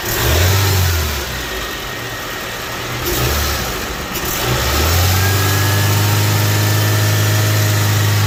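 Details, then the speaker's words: Honda Civic EF sedan, after blow-by box gasket work: idles fine but revving brings a deep rolling drone under the exhaust with engine shaking; cause not yet found, low rumble while revving. "it's idling fine all right i looking good but it's got this gun roll sound too"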